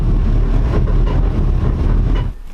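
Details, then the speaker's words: Tide Car carbureted V8 idling on the new Carter 50 GPH fuel pump and 3/8 line, MSD box grounded, AFR about 14: deep, steady, lumpy rumble with no knocks or misses; running well. "man is running awful good though sounded like it was running really good"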